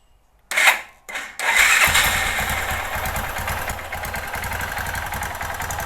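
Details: 2005 Kawasaki Bayou 250 single-cylinder, just started cold: fires after two pulls, idles lumpy and uneven, hunting slightly, slight valve tick, no knock; rough running from a worn Chinese carburetor, replacement coming, improves when warm.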